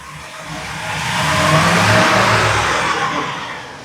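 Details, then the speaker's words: 2017 Ford E450, 6.2 gasoline, misfire code: engine revs up and settles under load with a rough, uneven edge; power balance shows only cylinder 3 misfiring. "ningún otro cilindro falla más que el tres ningún otro cilindro falla más que el tres cierto"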